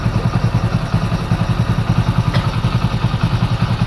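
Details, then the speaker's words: Hero Splendor Pro motorcycle after repair of white smoke and sound problem: steady low single-cylinder thump about three and a half beats a second, even and clean, no knock; perfect idle. "इस sound आप सुन रहे होंगे एकदम नया sound हो गया दोस्तो जोर में साउंड होता है एकदम परफेक्ट हो साउंड आप परफेक्ट सुन"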